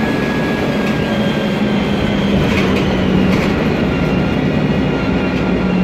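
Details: MAN Lion's Classic city bus, 2007, MAN E2876 LUH03 EEV turbo CNG engine, Voith DIWA 864.3 4-speed automatic, under way: a steady tonal whine over low drone and road rumble throughout, from a noisy automatic gearbox.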